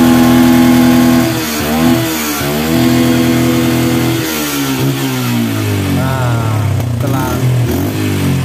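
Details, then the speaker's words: Yamaha Bison motorcycle, running: engine revs unevenly, stumbling and popping through the exhaust with black then white smoke, hesitant on pull-off like lacking fuel. Over-rich carburetor mixture misfire, fixed by resetting the carburetor. "tadi pas saya coba jalan saat tarikan pertama itu seperti motor kurang bensin atau telat bensin tapi waktu saya Nyalakan gini [Musik] teman-eman pas Saya nyalakan Nah itu meledek-meledek dan ada asap"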